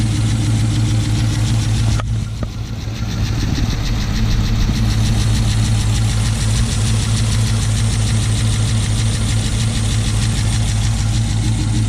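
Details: 2006 Chrysler 300 SRT8 V8 first start after aftermarket camshaft install, untuned; steady even idle with deep regular beat and only faint valve ticking, expected quieter as lifters pump up; normal idle.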